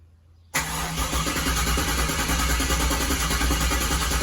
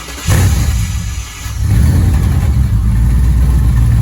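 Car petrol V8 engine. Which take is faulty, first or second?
first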